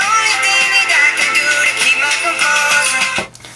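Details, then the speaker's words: iPhone after repair with replacement speaker taken from a donor white iPhone, tested before final screws; music plays clean and clear with no buzz on bass hits, speaker working properly. "the sound is so much clearer than this speaker was I'm convinced that this speaker was blown because this speaker from the white phone isn't buzzing at all when the base hits in this song"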